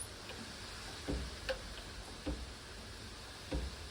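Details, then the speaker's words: Resizing 6mm ARC brass with a Lee full-length sizing die set for slight cam-over: faint, sharp pops at the bottom of each stroke, about four in four seconds, as the die contacts the shell holder firmly with the slop removed, normal setup. "But I've got a slight cam over. You hear it pop at the bottom just a little bit. It's not much, but that die is making really good contact with this shell holder."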